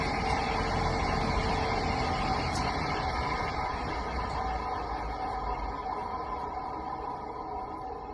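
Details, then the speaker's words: ILG Model 243 fan before bearing replacement: motor starts with a rough, gritty growl from dry, crunchy, loose original New Departure 88503/88504 bearings and shaft end play, which seemed to slow startup; fixed with new sealed bearings and spring washer. "the original bearings were really dry and had a crud kind of crunchy loose sound to them and it caused the motor to really growl a lot when it started"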